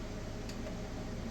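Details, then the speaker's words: Solar battery bank with LiFePO4 12V 100Ah batteries and voltage meters, nothing switched on: single short sharp click over quiet room hum, source unknown; intermittent clicking. "I hear the clicking and I'm not sure why it's clicking because there isn't anything even on"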